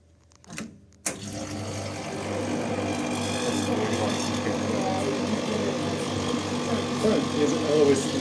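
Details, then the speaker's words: Superconducting gravimeter cryocooler compressor restarted after cold-head replacement. After the switch click, a steady low hum with soft rhythmic pulsing about three beats a second settles in: typical noise, running normally. "Now you can hear the typical noise. Sounds very good."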